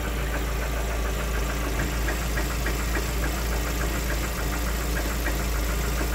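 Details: Lada Xray 1.6 VAZ 21129 engine idling: steady with a faint regular light tapping about three to four per second; engine knock present, owner asks how dangerous, cause undetermined.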